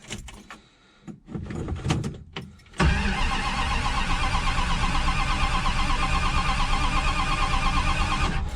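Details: Abandoned yard-project Dodge Dart GT 273, first cold start attempt in 2020: a few clunks, then about six seconds of steady rhythmic cranking that never catches or fires; cranks but won't start, more pumps planned.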